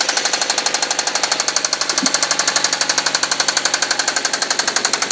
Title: Suzuki SX4 Engine knock